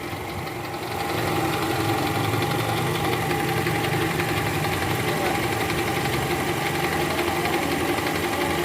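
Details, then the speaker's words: 2012 Toyota Camry 2.5 V, 2AR 2500cc engine, over 100,000 km, cold start in R/D: rapid tek-tek rattle about four a second heard by stethoscope at the oil pan, from a worn balancer shaft; disappears when warm. "posisi R tadi saya sempat dengerin pakai SpongeBob di area panci oli itu jelas banget suaranya Kretek tek tek tek dan ini indikasinya balancernya oblak guys"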